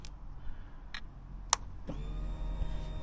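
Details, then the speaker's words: Barn-find Honda CBR600F4i, restored after sitting for years, tank checked with only slight rust tinge in the fuel, at key-on before first start: a few light clicks, then a steady electric hum; fuel pump priming normally. "So the fuel pump's priming."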